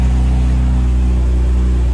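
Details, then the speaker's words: Non-running BMW 328i first start after fixing a backwards fuel pump plug and replacing a pulled ECU fuse. Strong, steady drone with no misses: normal idle, though smoke and possible oil or electrical burning appeared afterward, cause unknown. "okay well hey the car started up that time"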